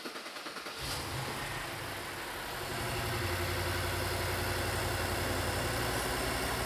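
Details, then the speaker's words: BMW Alpina B7 after swapping ignition coils between cylinders, intake loosely refitted: engine catches and idles with a steady stumble and shake from a single-cylinder misfire, which moved to cylinder 3. "it's definitely still got the misfire oh yeah there's a little Shake I'm surprised it's only misfiring on one cylinder that it would run this poorly"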